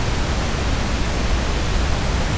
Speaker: you should hear that noise and not your phono stage hits the phono stages should be below that and if so you're doing great you're going to have outstanding system